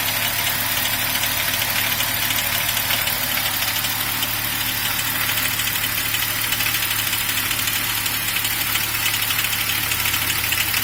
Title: BMW 1er klackern Motorgeräusche